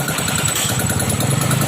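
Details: Vario 125 scooter after radiator leak repair and flushing of coolant-contaminated milky oil, running with coolant circulating: even, steady low idle thrum with no knocks, ticks or whine; engine sounds healthy.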